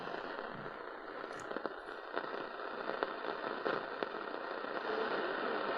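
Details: Panasonic RF-973 portable radio on an evening AM/medium-wave scan at the bottom of the band in bass mode: a steady hiss with sharp irregular crackles a few times a second, lightning static from a distant storm.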